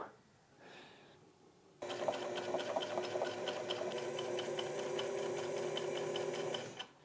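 Fast steady sewing machine chatter near four stitches a second, slightly uneven and clattery; hook timing is advanced, skipping stitches and breaking thread.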